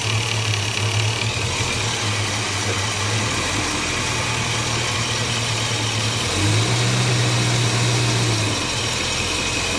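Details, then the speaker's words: Bus at idle: light, fairly regular tapping, about four per second, over the engine hum, seemingly near the ignition coil; source unclear, electrical or mechanical. "now I did notice a few moments ago on a cold start there's a TA noise it sounds um just up here behind the dash"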